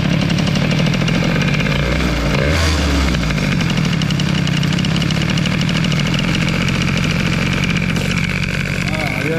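Loud, steady two-stroke burble settling into an even idle under background music; no misfires or hunting, the engine is running cleanly.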